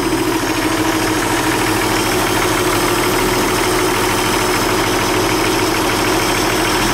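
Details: Ford 300 six-cylinder with three-speed, running after fitting a machined reman cylinder head with new valves, springs, retainers and studs and adjusting valves: even, steady idle with smooth rhythm and no miss or stumble; runs cleanly.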